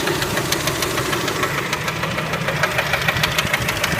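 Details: Kia Spectra engine: sharp, regular metallic knocking about three times a second over the idle, steady and clearly audible; engine knock, cause not yet known.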